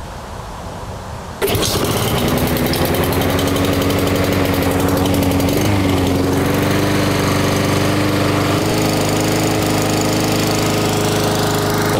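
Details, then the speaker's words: Small lawn mower engine after carburetor cleaning and jet enlarging to cure surging: starts and settles into steady, even speed with no rise and fall. "me so as you see there that's much much better you don't have to listen to that very annoying noise"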